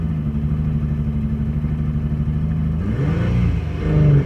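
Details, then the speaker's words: Chevrolet Blazer V8 back at operating temperature after cooling off: low uneven idle that stumbles when blipped instead of revving cleanly; it has developed backfiring, banging and dying. "It's had a little while to cool off, and while I've been talking, the temperature has gotten back up to operating temp, and it doesn't want to run properly."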